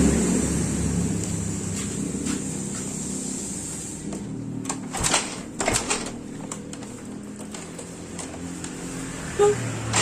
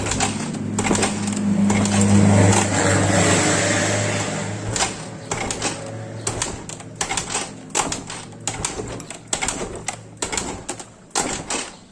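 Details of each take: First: Yamaha Mio Soul GT scooter that sat unused several days and would not start: after kick-starting, the small single-cylinder engine runs a steady, even low putter at idle with no knocks or misses; problem was only the spark plug. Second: Yamaha Mio Soul GT scooter that would not start after sitting several days: after a new spark plug, the starter whirs then gives short uneven cranking bursts about three a second, but the engine never catches.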